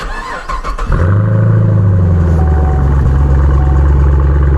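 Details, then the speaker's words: Camaro SS cold start after sitting a few days, new battery fitted after it left owner stranded: brief crank, catches cleanly into deep, steady fast idle that settles smoothly; healthy cold start. "Real fast. That sounds good. Yeah. Car does sound good."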